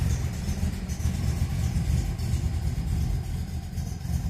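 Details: Restored 1966 MGB GT on bell-mouth carbs, just started cold on choke: deep steady low burble with even beat, no knocks or misses; oil pressure and temperature right, healthy idle.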